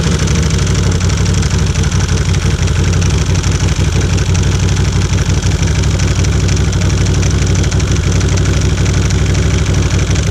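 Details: 2016 Can-Am Outlander XMR 1000 jacked up in drive, two-wheel: heavy engine with irregular knocks and clatter from a cracked plastic bracket inside the secondary clutch flexing under throttle; fixed by replacing the plastic.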